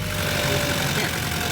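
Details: Honda Civic with PCV valve plugged back in; steady low idle rumble with even beat, no misses or surging, normal idle.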